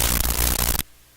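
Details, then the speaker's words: Hammarlund SP-600 communications receiver after replacing burned C108, C109 and R44: sudden harsh crackling static burst under a second, then near-silence; suspected from an open red wire leading to the audio system; cause unconfirmed. "Ooh, what was that? What was that? It just must be the wire I've got connected to the."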